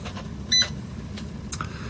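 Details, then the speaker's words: Philips M3015A/B module in service mode: faint steady low buzz of sample pump with one short beep, running normally; cell pressure should read about 20 mmHg below ambient. "You can do that by hearing the sound of the pump running, or if you watch this scrolling message here, it'll give us the ambient pressure, and it also gives the cell pressure."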